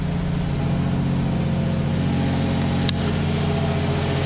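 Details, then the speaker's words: Audi R8 with catalytic converters still fitted, engine work on record (new timing chain, block replaced): smooth, steady idle, even deep hum, slightly louder exhaust, no moan or irregularity; normal idle, pretty quiet. "It didn't moan at idle. It just was pretty quiet."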